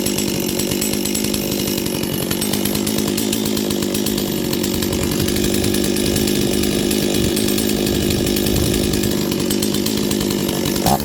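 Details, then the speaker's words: Old Stihl 036 chainsaw after priming: steady even two-stroke buzz holding speed without stumbling or surging; saw running cleanly. "okay so the saw runs beautifully it smells like old dirty shop and uh as I run it it'll probably do better and better"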